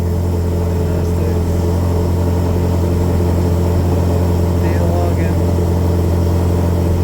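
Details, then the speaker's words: V8 with Multi-Tune PCMTec ghost cam tune, cold start idle datalog: deep, steady, slightly loping idle without the choppy cam lope yet. "all right we're logging yeah I don't really hear the the choppy chop yet but I guess we'll see"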